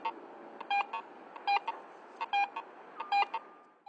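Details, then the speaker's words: Garrett AT Pro metal detector in Pro mode with tone roll audio: repeated short beep bursts about once a second, pitch shifting between coil passes as the target's conductivity changes. "another feature called tone roll audio allows you to hear changes in the target's conductivity as the coil passes"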